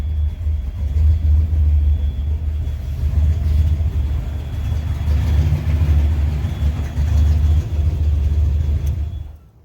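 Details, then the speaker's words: Junkyard Fox-body Mustang with cam, turbo build, 3-inch exhaust all the way back, warm at 200°F, good oil pressure: deep loud steady rumble about 800 rpm, even slightly lumpy beat; healthy idle, fan-triggered surging pending 3G alternator. "Sounds good. If nothing else, it's loud. It's got 3-inch all the way back."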